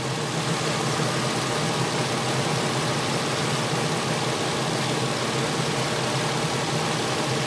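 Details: 1993 Infiniti J30, 101,000 miles, idle: steady, slightly uneven idle with faint irregular stumble; roughness worsened as it warmed, scope shows cylinder six injector has high resistance, causing a misfire on that cylinder.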